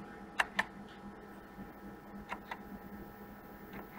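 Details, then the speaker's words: Tandy TRS-80 Model 4P with FreHD hard drive emulator: floppy head seek clicks, sharp paired then fainter, over quiet computer hum as the directory scan reaches drive five, the second floppy drive; heads stepping normally. "drive five is a second you can hear clicking again"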